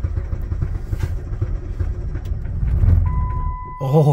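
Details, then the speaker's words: Jeep Patriot at -36°C to -40°C with a failed block heater, on about the 15th start attempt after resting the starter: a rough, uneven crank finally catches into a lumpy, unsteady run, with knocking and a check-engine light after starting. Hard cold start. "why does it have to be so cold okay I'm going to wait two minutes let the starter cool down and then try it"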